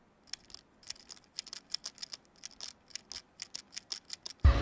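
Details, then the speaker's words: Older Sony mirrorless camera (A7/a6400 series) making quick metallic jingling clinks when moved, from loose metal strap lugs rattling; fixed with O-rings. "itu dari kupingnya biasanya yang buat eh yang buat buat strap-nya gitu ya dia itu kan dia goyang goyang tuh dia metal gitu terus lose gitu jadinya menimbulkan suara gitu ya kerincing kerincing kerincing krincing gitu"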